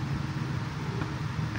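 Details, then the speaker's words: Spin dryer after repair runs with a steady low motor hum and soft rhythmic churn as the basket turns smoothly. Before, it only hummed slightly and would not run because of a cut cable, which was rejoined and taped. "Okay timer ay gumalaw na ibig sabiin Okay na po umaandar na po ang ating"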